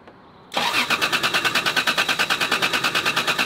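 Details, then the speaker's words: 1993 Toyota Supra with push-button start: starter spins the engine in an even whirr, about three pulses a second, but it never fires; cranks, no start; suspected no fuel or ignition, fuel smell present. "it sounds like it's not getting any fuel yeah"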